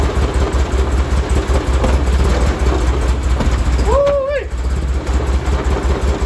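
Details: 1973 Porsche 911T with points ignition and CDI box, sitting since 1998, first start after fuel draining and new spark plugs: low, uneven, pulsing idle under hand throttle that won't settle. Owner suspects timing or points gap may be off.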